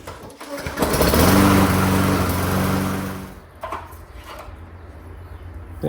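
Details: Free Lawnboy mower after oil change and carburetor cleaning, governor arm bent straight to raise low RPM: revs to a strong, even, steady drone with no hunting or misses; normal full-speed running.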